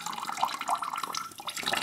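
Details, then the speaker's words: New kitchen water line, aluminium composite pipe with press fittings, during leak test: water runs out in a steady splashing stream with no spitting or sputter; air purged, line vented, steady water flow without air. "keine luft mehr bekommen keine luft mehr der bereich assets entlüftet"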